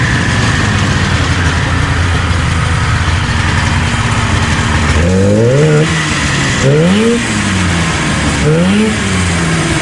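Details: 1977 Arctic Cat El Tigre 4000 440cc two-stroke snowmobile, Mikuni round-slide carbs, after needle clip adjustment; crisp blips rising and falling cleanly three times with no hesitation or bog off idle; bog cured.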